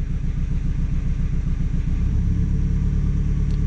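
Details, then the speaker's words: 2014 Hyundai Elantra with P0304 cylinder 4 misfire, injectors 2 and 3 disabled in turn via scan tool: idle shakes with heavy uneven chug about twice a second, much worse with one injector cut plus the misfire. "let's disable injector 2 yeah much worse it's disable injector 3 much"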